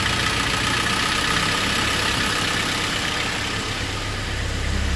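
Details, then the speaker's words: K24-swapped Honda CRX after a throttle body fix for a sticking throttle plate, with the idle screw adjusted: steady, even idle around 800 rpm with a smooth hum and no hunting, stumbling or misses. Normal idle. "Let me see what the RPMs are right now. Good. Same thing about 800."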